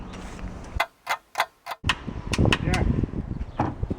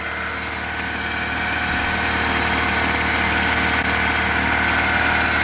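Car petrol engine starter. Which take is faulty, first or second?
first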